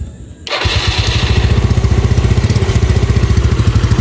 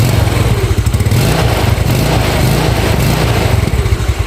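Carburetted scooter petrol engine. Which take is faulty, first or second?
second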